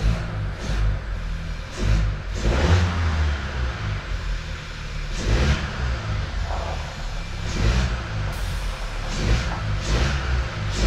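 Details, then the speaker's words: 2018 Skoda Octavia 1.5 TSI, 110 kW, after the knocking-noise repair: repeated clean blips across various rev ranges and back down, no knock or rattle on any rise; the engine is quiet and healthy. "a teraz jest cichutko tutaj nie ma ani grama luzu nie hałasuje także chyba się udało"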